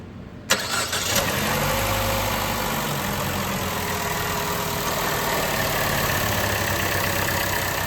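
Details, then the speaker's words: 2014 Chevy Cruze with P0171 and P1101 codes, idling with engine cover off; steady idle under a constant high hiss, strong crankcase vacuum heard pulling the dipstick, radiator fan on; torn PCV valve diaphragm suspected, causing vacuum leak. "here you can even hear when you pull the dip stick how much vacuum is inside the crank case it's pretty crazy"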